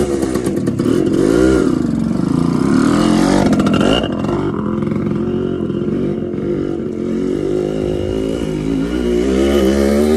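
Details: TC125 two-stroke dirt bike after a carb clean and a new fuel line with filter, on a cold day: crisp revving up and down under throttle, clean and responsive with no misfire or bog; normal running.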